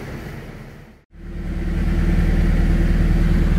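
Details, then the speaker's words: Honda B18C1 turbo EG hatchback on dyno: after brief cutout, even low steady idle with no hunting or hiss; normal idle restored after fixing a couple of vacuum leaks. "guys we have a normal idle again had a couple vacuum leaks I had to fix"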